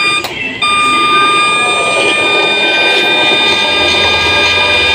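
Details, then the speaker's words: Cotton candy machine spinner with a 12 V dynamo on an adaptor, speed control set to the P mark. It switches on into a clean, even whine at constant pitch, soft and smooth; only about 9 volts is said to be needed. Normal motor run. "Suaranya lembut ya, halus. Harusnya cuma 9 volt teman-teman, cuma 9 volt itu sudah kencang gini gitu."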